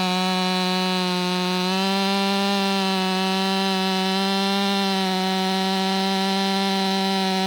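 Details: Warmed-up, Empire Workshop-ported STIHL MS500i with stock air filter, 32-inch bar, sharpened chain and seven-pin sprocket: a high, steady scream dips slightly as the bar bites, then holds pitch through the cut. A strong, healthy saw.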